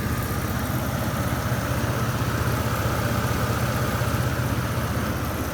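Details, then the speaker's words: 2001 Chevy S10 crew cab 4x4 with a replacement engine just installed: smooth even idle, steady low pulse, no knocks, ticks or misses; sounds solid and tight. Normal idle. "Definitely a good runner right here. We did good on this one."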